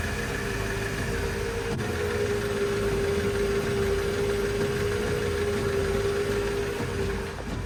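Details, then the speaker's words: Mercedes S500 with AirMatic suspension, engine idling: steady mid-pitched compressor hum runs evenly then cuts out while dash says vehicle rising; one rear corner never rises, later AirMatic fault, visit workshop; repaired by replacing valve block and sensor. "The compressor has stopped, but it still got clearly says AirMatic vehicle rising, and at some point after a while it would just say AirMatic fault, visit workshop, and that is the problem."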